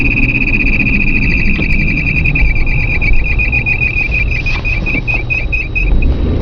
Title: Loud noise from tranny area again.